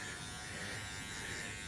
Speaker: These bad boys are pretty quiet. I like them.